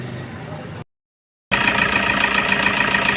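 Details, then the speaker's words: Toyota HiAce 2KD diesel that had knocking and misfire, suspected injector, after injector correction codes were entered: even idle with steady clatter and faint whistle, no knock or stumble; normal diesel idle. "Okay na siya guys ganda na ung takbo niya"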